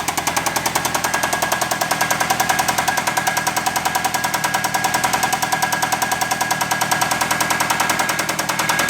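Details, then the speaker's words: Chrysler 2.4 L engine run with coolant drained and then oil drained: loud, sharp metallic knocks about 3.5 per second over strained running, plus light flywheel ting; knock and tap from the engine, cause suspected, not confirmed. "It's more of a harmonic than it is a knock or a tap. The knock and tap's coming from the engine. Yeah, I mean, there's no coolant in this sucker."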